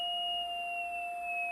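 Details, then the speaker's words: QRP Pixie transceiver receive tuning, before adjusting the oscillator potentiometer: steady pure whistle a couple of octaves above middle C, well above the target ~700 Hz; receive beat tone mistuned too high, corrected by turning the potentiometer. "And that makes a very high note. If you're on the piano, that's a couple of octaves above middle C."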